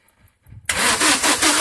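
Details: 2008 Vauxhall Combo, crank no start, no fault codes, scan tool losing comms with PCM and fuel pressure reading 0 kPa while cranking: starter turns engine with quick steady chug but never catches.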